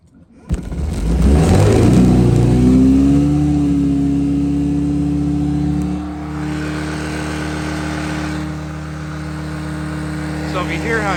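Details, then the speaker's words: 2009 Honda Metropolitan scooter that would not start after sitting, air intake covered with a paper towel as a manual choke: it catches and climbs to a high, steady idle with no throttle input, then settles slightly lower. High idle. "it's revving up I'm not hitting the throttle at all awesome dude also I'm doing is taking this paper towel and I'm manually choking the air out of it here at perhaps up"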